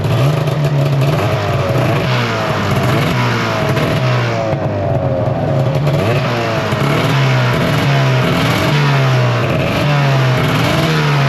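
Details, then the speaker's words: 2005 Arctic Cat Firecat F6 two-stroke snowmobile after sitting, rear jacked up with some throttle: loud drone holding high and surging about once a second, track moving quickly. High idle; owner thinks the secondary clutch may need adjusting. "That's moving pretty quick. That's moving pretty quick. So it's idling high right now."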